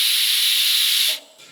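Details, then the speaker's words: ARCCAPTAIN 200P AC/DC TIG welding stainless after correcting mixed-up polarity: smooth steady hiss without crackle or popping for about a second, then clean cutoff; arc nice and stable. "Yeah, it's welding stainless, no problem. If it's welding stainless, no problem, and the arc's nice and stable, I don't even need to try mild steel."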